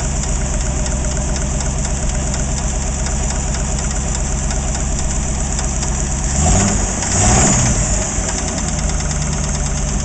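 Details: AMC 360 engine at idle that began knocking after overheating, old oil wet with no metal shavings: persistent metallic knock and rattle over the engine beat. Cause not pinned down.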